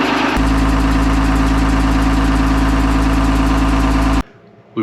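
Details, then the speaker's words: 45-year-old trawler engine at idle, tapping and stalling at low RPM since a hurricane: a quick, fairly even tap of about three per second over a low drone, from an exhaust manifold leak. "you can hear a tap tap tap tap tap sound while it's running and it's been stalling out at low RPMs"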